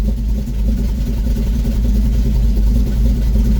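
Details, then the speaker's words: 1971 Chevy C10 V8 restarted after roadside coolant leak repair and refill: fired right up into steady, smooth low idle with no knock or tick; temp gauge back down where it should be. "Never fails. Fired right up."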